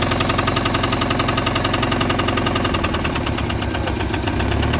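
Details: Honda Civic engine running with hard, regular rod knock about three to four per second, from a worn rod bearing; oil pan to be dropped to replace it.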